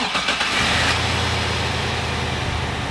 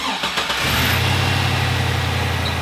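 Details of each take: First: Engine that was running lean, started after intake and air filter housing reassembly: quick crank, clean catch, steady even idle without misses; sounds healthy, to be warmed up and road tested to check fuel trims. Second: GM Vortec V8 with 180,000 miles, running lean with about 20% added fuel trim on both banks: steady idle with faint occasional light lifter ticking and no sound of a vacuum leak; worn lifters.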